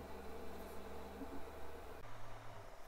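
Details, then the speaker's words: MINGDA Rock 3 Pro 3D printer, bed heated to 60°C, homing: soft low hum and faint buzz from the stepper motors, practically silent and healthy. "silent at the moment I am hearing my voice and you hardly hear it move the printer barely hears a buzz during printing a little more noise is heard because in that case there is also the extruder which is not exactly silent but everything else as you are seeing is practically very silent"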